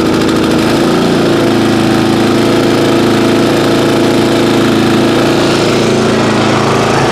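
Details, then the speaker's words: Single-cylinder lawn care equipment engine, stored 5 months on ethanol-free fuel without stabilizer, cold start at about 30°F: runs fast and steady on choke, tone easing as it settles, smoking slightly; normal cold running on choke. "nope choke again oh all right let's let it run on sharp for a little bit"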